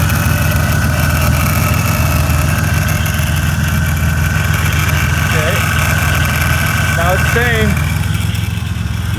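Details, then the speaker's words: 2004 Buick Century idling right after a custom power steering return line was fitted and the fluid refilled: a thin constant pump whine with brief chirping squeals as the pump works air out of the new fluid. "that power steering pump noise, you'll hear that for a bit. We're going to have to get this run through a bit."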